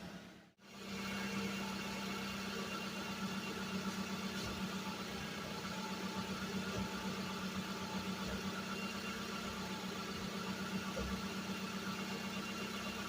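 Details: Suzuki Vitara revived after sitting 13 years, run 15–20 minutes at a time to free up: even, steady idle hum with smooth regular beat, no knocks, misses or rattles; running cleanly so far.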